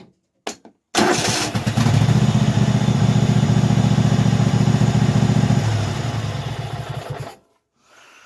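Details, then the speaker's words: Craftsman hydro riding mower V-twin, after carburetor cleaning and replacing the carburetor bottom fuel solenoid: fires at once, steady even beat, clean shutoff; previously refused to run, now runs normally. "I changed out that little solenoid thing on the bottom of the carburetor and obviously something was wrong with it because it's running now"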